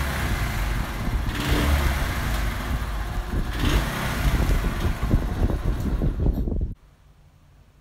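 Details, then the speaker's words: Honda CD 70 before carburettor cleaning: small single revs cleanly, but on closing the throttle the beat turns ragged and uneven and dies out; misfire and stalling at idle, suspected carburettor fault, unconfirmed. "जैसे यहां bike को start करते हैं प्रसिद्ध है वह बिल्कुल सही चलती है जहां पर छोड़ते वह मिशन करती है यह ऑटोमेटिकली वह ज्यादा कम हो जाती है स्लॉट यानि कि बाइक खड़ी नहीं होती है"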